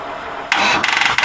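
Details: Engine on jumper cables after a little oil added: short burst of rapid raspy cranking pulses with a brief catch, but it never picks up and runs; hard starting.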